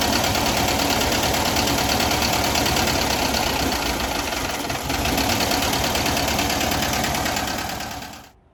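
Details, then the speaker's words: Air-cooled VW bus with a Brazilian Solex H30 PIC carburetor: the wire is disconnected from the idle cut-off solenoid, and the busy idle fades and stops within a second as fuel is cut; the solenoid works. "So now if I disconnect the wire, the solenoid will activate and it will cut the fuel to the carburetor, so the revs will die."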